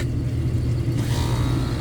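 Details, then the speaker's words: Newly installed Lennox package unit with Core controller, compressor bumped after Fieldpiece SC480 phase-rotation check read correct: deep steady low hum, no grinding or rattle; sounds good, phase rotation believed correct. "it sounds good doesn't sound bad so I think the phase rotation is correct"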